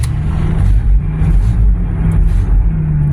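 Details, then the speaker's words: Old van woken from long storage: fuel pump primed, cranked a few times, turns over and starts; low, steady rumble with even beat, no knocks or squeals, running smoothly. "Will it run? Well, of course it will."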